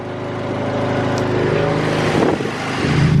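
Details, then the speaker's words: Nissan Silvia S15 SR20 VCT engine warm, about five minutes after VCT sprocket replacement; previously quiet cold but noisy once warm: revs up smoothly with no rattle or knock over exhaust note, noise fixed. "it's been about five minutes now and still no noise so that's a success"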